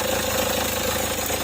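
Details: Kia Sportage/Hyundai Tucson that cranked but would not start, after reseating a loose camshaft sensor connector: engine catches and settles into an even idle, steady mid-pitched hum with regular low pulses, running normally.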